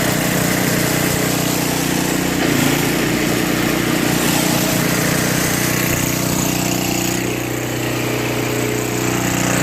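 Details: Brute 24-inch snow blower, 5 HP Tecumseh single-cylinder, after carburetor clean, new correct fuel line and fuel filter (was bogging under load, stalling), cold ~18°F: steady, even running note, no misses, surging or knocks; normal running.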